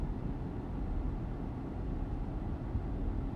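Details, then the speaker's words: Chrysler/Jeep with code P2173 (high airflow, vacuum leak): deep, uneven idle rumble with a lumpy, stumbling misfire, shaking engine and poor revving, from a vacuum leak. "Tapos nanginginig ang makina. Ayan palyado siya guys. Palyado ang lakas oh."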